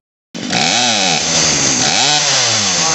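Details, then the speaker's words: Poulan Pro PP4018 chainsaw after carburetor, fuel line and primer bulb repair: high buzzing scream sags and recovers as throttle is worked, bogging while the mixture screw is turned counterclockwise bit by bit until the bog stops. "so that screw that i was talking about is going to go counterclockwise just a little bit at a time until it doesn't bog anymore when you when you squeeze the trigger"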